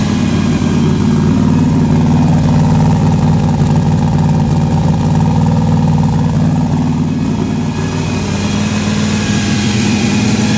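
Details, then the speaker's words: Fresh-built 4.3 V6 drag truck with a 4L60E transmission, on first start after a starter engagement fix. Loud, lumpy idle with a slight lope and no knocks; great oil pressure and voltage, water temperature rising, earlier shut off for running hot. "we got great oil pressure great voltage our water temp is starting to come up"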